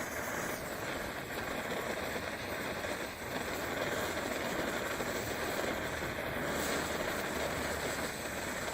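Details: 1930s Primus 70 pressure camp stove, restored with new jet and running on Coleman fuel. Steady, even roar without sputtering or surging, burning normally; owner suspects pressure escaping at the cap, which may need a new seal. Normal pressure burner roar.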